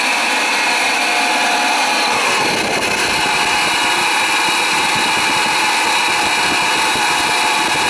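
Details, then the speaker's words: Oil-fired boiler burner that wouldn't fire up, not heating the house: steady high-pitched roar with whirring hiss, no knocking; technician suspects the burner motor is going, doubts an oil flow issue. Suspected, not confirmed. "let's find out what's going on with this you will get for oil flow motor sounds like the baron's gonna walk on us there's another motor what's happening"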